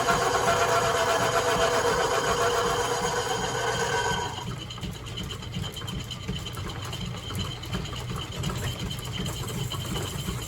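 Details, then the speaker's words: Lineshaft machine shop boring a cast iron pulley dry with a high-speed steel tool, no oil: even rhythmic scraping about four beats a second, quieting where the tool crosses a hollow in the casting; normal dry cutting noise. "some might say why aren't you using oil why is it making such a noise that's because when running high speed steel and cast iron don't put oil or it'll absorb it and act as a lubrication and just slip"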